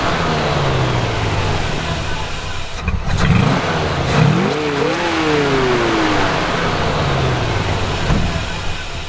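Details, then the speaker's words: Classic Buick on a Route 66 trip, running with the PCV line left unplugged: an uneven, stumbling engine that surges and sags when revved. Rough running from a large vacuum leak at the open PCV connection. "I'm so dumb. I'm like, why won't it run right? Huge vacuum leak. Completely forgot to plug in the PCV."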